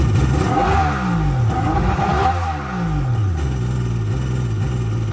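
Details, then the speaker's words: 2001 Kawasaki 1100 STX DI jet ski after ECU repair, on cooling water: revs swing up and down cleanly several times and return to steady idle without stumbling; running well. "All right, guys. So, as you can see, it's running real good."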